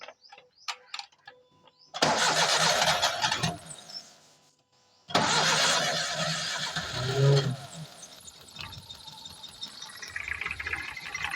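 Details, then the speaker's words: Car (AL8) with a cracked ignition coil body leaking current before the spark reaches the plug: it starts, stumbles and dies within two seconds, then restarts and runs unevenly. It won't idle, has no pickup and vibrates heavily. Misfire from the cracked coil. "ये देखो coil की जो body है ना वो crack हो गई है और करंट लिकेज कर रही है"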